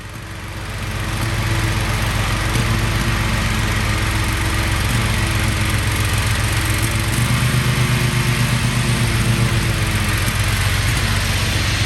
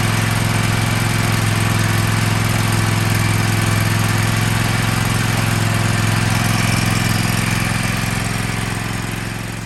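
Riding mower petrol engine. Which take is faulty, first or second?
first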